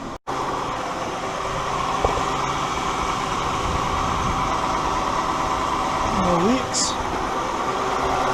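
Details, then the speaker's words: 2015 Dodge Grand Caravan 3.6L idling after an oil and filter change: steady, even idle with no ticking or clatter; not rough, which indicates the correct oil level. "it sounds good not running super rough no clacking no nothing means you have the correct amount of oil in it"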